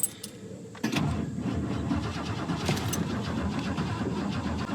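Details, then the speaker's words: 1967 Lincoln Continental, carbureted, sat in a field a year, hot day, first start attempt with no starter fluid: keys rattle, starter spins engine evenly with no firing; cranks fine but won't fire. "she turned over fine that's a good start I don't have any starter fluid with me don't have anything to like speed this process up"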